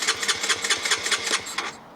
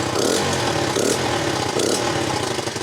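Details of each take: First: Honda CBR125, 8,700 miles, abandoned and crashed, fuel-injection light flashing: starter spins engine with even chuffs about six a second but it never fires; injector body also replaced. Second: Honda CBR125, 8,700 miles, after replacing injector, fuel pump and old fuel: small single holds steady quick putter idle with a brief dip; now runs normally, likely fuel pump fault worsened by old fuel.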